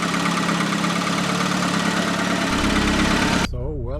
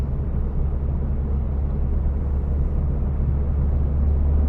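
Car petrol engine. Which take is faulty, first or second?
first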